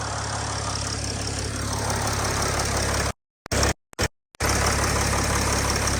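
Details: Vehicle started with a solid-state jump starter because of a faulty starter motor: steady, even low idle hum with no knocks or misses once it fires; normal idle.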